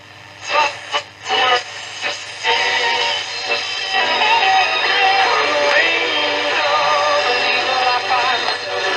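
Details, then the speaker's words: Philips 206A valve radio (early 1940s, Dutch-built, Australian version), after sympathetic restoration work including side-contact valve fixes and a 10 µF capacitor fitted on a loose lead: music comes through clean and steady on medium wave, no hum, crackle or fading; normal reception. "oke dat werkt nu godzijdank oke ik ga het op volle kracht zetten"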